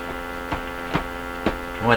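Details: Stewart Warner R514 tube radio during IF stage sweeping with a signal generator gives a loud steady low hum with several fixed tones and periodic whooshing sweeps; intermittent oscillation recurs, and the broken AVC transformer can't be tuned.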